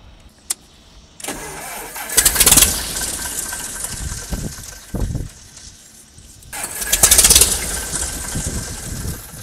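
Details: Freedom kit plane engine restarted after 14 years unrun, boost pump off to test mechanical fuel pump: two brief rough firing bursts each dying within seconds; suspected fuel supply problem or air pocket, not confirmed.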